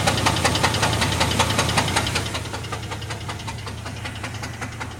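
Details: 1998 GMC Jimmy 4.3 Vortec idling with a steady, deep, hollow knock about two and a half per second from low in the engine: rod knock; the engine was later replaced.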